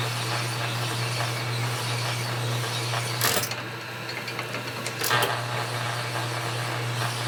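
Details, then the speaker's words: Honing Harley 45 ci WL/WLA flathead connecting rod bores: steady low machine hum with hissy scraping, briefly interrupted, as more pressure is applied; stone biting and cutting properly, rods heating up. "The stone's cutting really good. Definitely all chewed up. Okay, let's give it a little bit more pressure. 2.5. Lower line, crank it out. You can hear the stone cutting on there."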